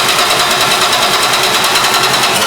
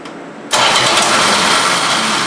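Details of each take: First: 1973 Plymouth Duster 225 Slant 6 with new Holley 350 cfm two-barrel carburetor on a factory two-barrel iron intake, first start on a dry carb: rough, fast puffing tick over a loud uneven idle, exhaust leak from an untightened intake-to-exhaust manifold bolt. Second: 1973 Plymouth Duster, 225 Slant 6 with new 350 cfm two-barrel carburetor, manifolds rebolted with RTV on the steel gasket: starts at once and settles into a steady, too-fast idle with no ticking; normal idle, no exhaust leaks.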